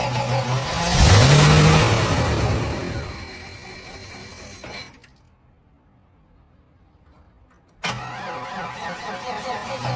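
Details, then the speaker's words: 32-year-old Cadillac Fleetwood Brougham 5.7L V8 first start after a starter repair and freeing a stuck fuel pump by hammering the tank; spark and fuel confirmed. Engine catches with a strong rev, then settles into a steady, even rumble with no misses or knocks; running normally. "Let's try starting it. Wish me luck! This engine is finally running normally."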